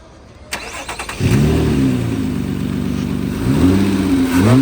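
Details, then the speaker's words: 2008 Nissan Altima 3.5 SE V6, tested before removal for resale: cranks briefly, catches cleanly and settles into a steady, even idle with a smooth blip; runs very smooth, normal start and idle. "We're going to go ahead and start it up for you."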